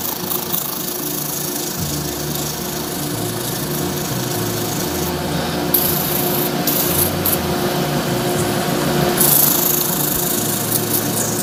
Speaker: if you can hear that that I can hear that Nick and the noise and it Sam that's it just hitting the high spots of the CA